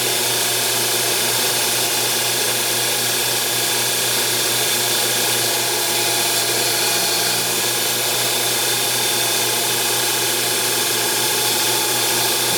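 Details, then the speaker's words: Small CNC lathe boring a milling-machine spindle pulley. A steady high-pitched screech over the spindle hum is heavy boring-bar chatter on the shallow finish pass at the end of the operation. "So the boring turned out, it was going really good until the very end. Focus. Where I got wicked chatter on the finish pass."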